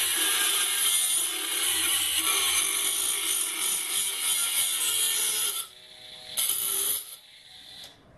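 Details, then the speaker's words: Banggood 220V 72W micro rotary tool at maximum speed with an oversized 75 mm disk: high hissing whine cutting steadily without bogging, dropping off at breakthrough; normal cutting under load through reasonably thick stock, motor stayed cold. "actually cut through it I'm surprised it actually did that's not spinning you know we near the register the holder is it actually through this it's reasonably thick still that's pretty impressive really"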